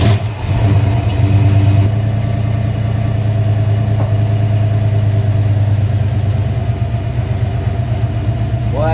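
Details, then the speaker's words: Ford Falcon 5.0 V8 restarted after clearancing the head's pushrod holes and replacing a water-leaking part with a new gasket: catches quickly and settles into a steady, deep, even idle with a low burble, no knocks or misses. "that thing started right up huh it was ready sounds good"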